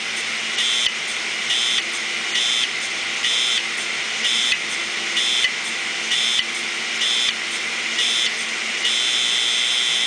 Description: 500gig Maxtor Hard Drive... Head crash, both sides, all platters.